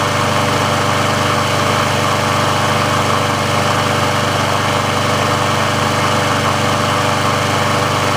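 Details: Briggs & Stratton engine on a Sears Craftsman mower after service/repair, warm with the auto choke open: steady, even single-cylinder putter at a settled idle with no misses or surging. The auto choke works as it should, so this is a normal warm idle.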